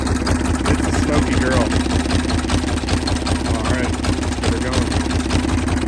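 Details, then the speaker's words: M1030M1 diesel Kawasaki KLR motorcycle, startup after glow plug light: fuel pump and solenoid clicks, then steady low single-cylinder diesel clatter at slow even rate, no misfire or knock; healthy idle. "flip it to on then you flip the kill switch you'll hear the fuel pump start going a little solenoid clicks"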